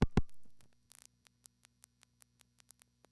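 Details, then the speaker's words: No. 1 crossbar call through the panel switch: a sticky sender relay broke revertive pulse counting, so the signal went to telltale and the marker advanced to an alternate trunk that also failed. Two loud relay clunks, then sparse crisp clicks over low hum. "a sticky relay in the sender caused the counting process to fail the signaling went to telltale and the crossbar sender recognized this as a failure the crossbar marker advanced us to the same route but an alternate trunk which also failed"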